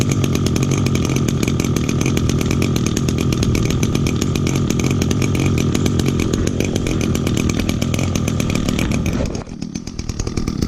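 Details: 2010 Echo SRM 225 two-stroke string trimmer, first start of 2019 on choke with little fuel, cold; buzzy, slightly uneven idle that sags near the end, bogging until warmed up.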